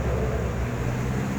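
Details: Electric fan running after its non-working swing gearbox was replaced: steady low hum and even whoosh, no rattle, clicking or grinding; motor and swing gearbox run smoothly, normal fan operation.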